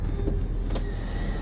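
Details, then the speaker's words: 2019 Tiffin Phaeton bedroom slide-out extending on its electric Schwintek motor, button held down throughout. Steady low electric drone and even whine with no catching or straining; not binding. Normal slide-out motor operation. "that Schwintek motor sound. We'll just hold the button down the entire time as it's going out. It's not binding,"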